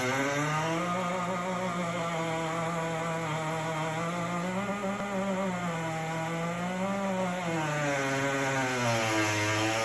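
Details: GE Opal countertop nugget ice maker, two weeks old: loud wavering motor squeal with a harsh rasp, pitch rising and falling every couple of seconds; same on replacement unit.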